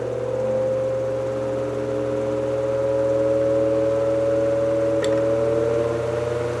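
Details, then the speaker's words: Restored 1949 GE Vortalex 12-inch desk fan starting on low and stepping up to speed three: smooth steady motor whir rising slightly with speed, no buzz or rattle; earlier coil buzz and blade wobble fixed, vibration much reduced. "Now, let's hear it run. I'm going to start it up on low speed, and then we'll work our way up to speed number three."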